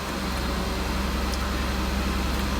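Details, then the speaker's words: 2006 Mazda MPV 3.0 V6 that starts then immediately stalls: throttle held to keep rpm up gives a steady raised hum, nearly stalling on a blip. Sticking idle air control valve, later replaced. "so basically it was doing something like that where it immediately start up and then stall and you crank it over again and it would start up and stall"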